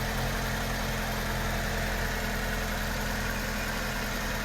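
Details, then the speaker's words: A petrol car engine idles smoothly and evenly with no rattle after repair; the earlier rattling from poor internal oiling due to carbon deposits was fixed by cleaning and refitting the VVT solenoid valve. "动机异响声消失，完美解决此故障。"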